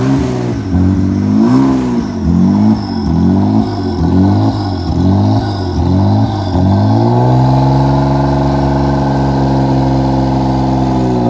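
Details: VR4 on its first drive, clutch in or in neutral: revs surge up and down roughly once a second for several seconds, then settle into a steady fast idle, though it drives fine in gear. Idle hunting and set too high.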